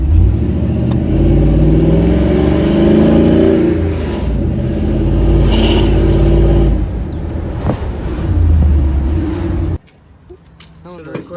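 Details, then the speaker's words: Truck engine after adding missing header bolts to fix an exhaust leak: revs up cleanly and drops back smoothly, with none of the earlier popping or choppy sound. "before i would rev up and go pop about like a pop-out ugly because of them because of the exhaust leak and now it didn't pop at all sounded real good"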